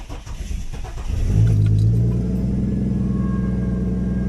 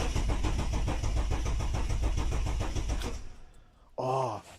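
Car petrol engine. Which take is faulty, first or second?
second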